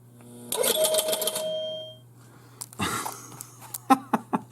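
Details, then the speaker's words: Gottlieb 1971 Home Run pinball machine, score motor stepping one stop after a hit to reset relays: quick burst of relay and stepper clicks with clear chime, then spaced clunks as it resets; normal score motor cycle. "You can barely tell that they're even resetting. You can hear the chimes, but"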